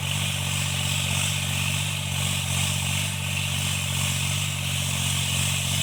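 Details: Tractor diesel cultivating after an engine-knocking repair: smooth, steady drone pulling in the field with no knocking or tapping over the engine note, running normally and healthy under load.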